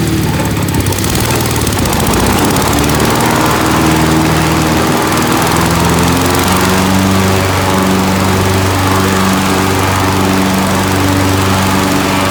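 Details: Kohler Magnum 18 MV18 twin with a bad fuel pump: high revs waver and sag unevenly; gravity feed suffices at idle but at full throttle it starves and dies.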